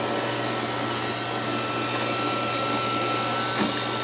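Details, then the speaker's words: Roomba with intermittent Error 5 after its main board was washed, first test run after oven-drying and reassembly: even whir with a steady high tone and soft brushing rumble, no knocking or grinding; runs smoothly for now. "I think it likes it. We'll just have to wait and see for a while."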